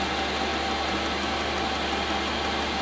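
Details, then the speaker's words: Chinese eBay diesel heater in a camper van: steady even hiss and hum with faint constant tone, gradually noisier; under the sofa, said no louder than an electric fan heater; normal running. "keeps getting gradually noisier and noisier but if you put it in something like wheat heart you flop down the sofa the piece of wood and then you've got your cushion on top and you can't actually hear it it's no louder than an electric fun heat"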